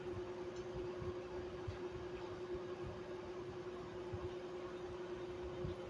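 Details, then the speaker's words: 1995 Chambers (Whirlpool) 5000 BTU R22 window AC, non-PSC induction fan motor, Matsushita compressor; steady mid-pitched whine over rough rumble, sometimes rattly; fan motor badly worn, bearings shot. "This fan motor is extremely wore out and the bearings are shot. So, it's a little bit little bit rally sometimes. Sometimes it sounds good."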